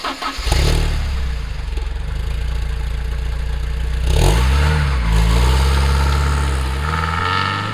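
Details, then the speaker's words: 1988 Porsche 944 on test drive after head gasket replacement and top-end reseal, compression checked to spec and plugs refitted: strong even pull through each gear, clean shifts, no ticking, knock or misfire; more output than before, normal under load. "well after taking the car out everything seems to be running well and the engine feels like it has a lot more output than before"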